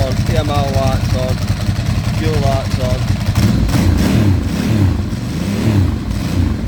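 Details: 2008 Ducati Hypermotard first started after 2 years sitting during restoration: lumpy low V-twin idle with a loose dry clutch rattle; owner unsure whether it's supposed to sound like that, cause unknown.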